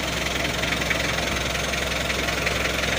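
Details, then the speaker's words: Mitsubishi L300 diesel after engine and transmission overhaul: steady gritty gear rattle over idle, milder than before, as transmission shaft gear not yet replaced. Worn transmission gear noise. "transmisinya juga aman meskipun sedikit bunyinya daripada yang kemarin soalnya karena astrangisinya belum diganti kalau kemarin itu udah parah bunyinya gitu kita coba"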